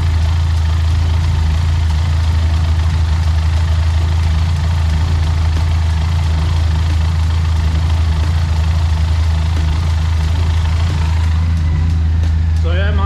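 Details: Benelli TRK502X, 500cc four-stroke liquid-cooled twin, idling after oil change and refill: steady even low thrum with no knocks, ticks or rattles; running smoothly and healthy.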